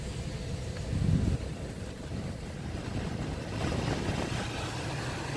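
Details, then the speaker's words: Kia Rio/Forte cabin blower after blower resistor replacement (previously not working on all speeds): soft, steady rush of air with low hum, no squeal or ticking; works on all speeds; normal blower operation. "right so no it's working on all speed"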